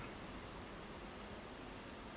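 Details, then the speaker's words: Dry air generator that lost its refrigerant, AccuTrack ultrasonic detector on the evaporator coil's top pipe: steady, even hiss with no rhythm that comes and goes as the probe moves toward and away from the spot. Refrigerant leak located. "I can hear something in that area. If I move away, it goes. If I move back, there, gone, back, gone, back. So it's there."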